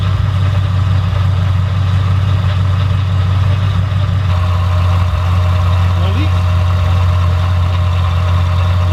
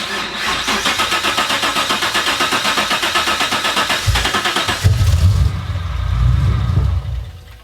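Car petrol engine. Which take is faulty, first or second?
second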